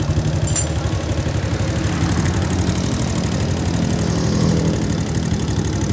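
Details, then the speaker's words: Honda Supra motorcycle idling with a loud, regular clatter, about three knocks a second, plus faint small ticks. Cam chain is judged about 30% of the noise, 70% from elsewhere; valve clearance found slightly loose but normal. "Ada bunyi kletek-kletek secara teratur dan sedikit bunyi kecil-kecil ya, tapi yang besar banget itu bunyi kletek-kleteknya."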